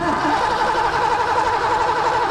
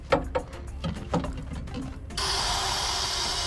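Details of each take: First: 1986 Mustang GT 5.0 five-speed, sat 20 years: steady cranking whir that never fires; no square-wave signal on probe, no spark because the distributor PIP sensor failed. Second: 1986 Mustang GT 5.0 five-speed, sat 20 years: cranking catches a few times with stumbles, then fires and settles into a rough but steady idle as more fuel is given.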